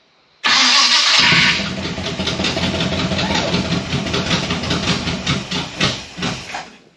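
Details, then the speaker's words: Chevrolet Biscayne after starter repair, in park, first run in weeks: starter whirs about a second, engine catches cleanly and settles into an even, slowing idle; starts and runs properly. "Sweet. That's the first time it's run in a few days."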